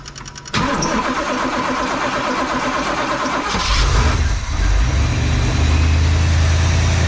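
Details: 1986 Trans Am 305 4bbl with E4ME Quadrajet, before intake and carb base gasket replacement: fires and settles into an uneven lumpy idle that wanders and surges; suspected vacuum leak at crusty carb base gasket, not confirmed.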